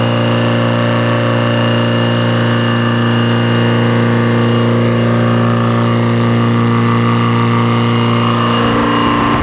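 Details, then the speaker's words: Detroit diesel that sat a long time, fuel air bled, just started and warming: deep, even idle holding one steady beat, no misses or knocks; oil pressure up, charging a little, no smoke, belts loose; normal idle. "okay there you go got oil pressure that's charging just a little bit I think no smoke belts are loose"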